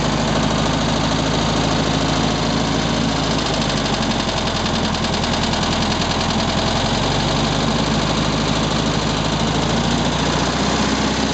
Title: 1967 VW Beetle engine knocking noise